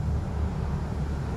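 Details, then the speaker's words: V8 held against the brakes under load after an exhaust job: rumble stumbles unevenly from a misfire caused by cracked spark plug ceramics on both banks from installation error. "start it up power break it still got a misfire go to another cylinder 246 I think it"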